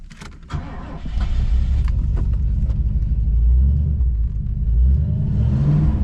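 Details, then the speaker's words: 1980s Ford Mustang Fox body V8, modified: brief crank, then catches and settles into a deep, steady burble with a little blip; healthy start, engine and transmission seem okay. "let's hear that that 8 cylinder motor wow"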